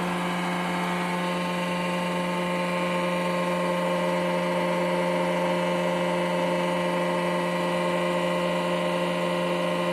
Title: Twingo 95 exhaust leak in manifold gasket and donut